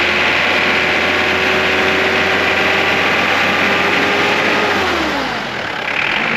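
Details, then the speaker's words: Mitsubishi Pajero Mk2 2.8 4M40 diesel, Bosch Zexel pump timing advance piston repaired, pump advanced slightly for vegetable oil fuel: steady even diesel clatter at idle, a bit knockier than it could be; healthy. "It does sound probably a bit knockier than it could, but I have the pump advanced slightly because of the vegetable oil situation."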